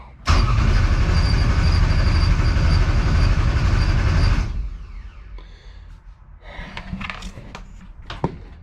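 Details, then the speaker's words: 1200hp Taurus race engine, just rebuilt, open header, with a damaged crank trigger. Even cranking chug of about four a second for four seconds with no firing at all. No-start, so it needs a new crank sensor. "Looks like we're not getting a fire out of the blue turd tonight. But I promise you on the next one, we will hear this thing run. I just need a new crank sensor."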